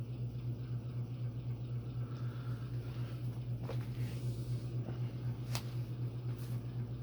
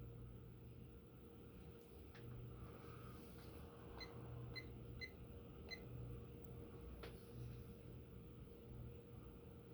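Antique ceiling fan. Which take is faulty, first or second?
first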